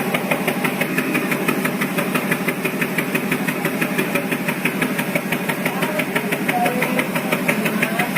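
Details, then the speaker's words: Car engine misfiring and hesitating at low rpm with weak power: steady tick about twice a second over a rough, stumbling idle; coil or plugs suspected, but teardown found the coil not at fault and the plugs still good. "Terus pada RPM rendah itu berbet ya, bahasanya tuh apa ya, kayak tersendat-sendat gitu pada RPM rendah."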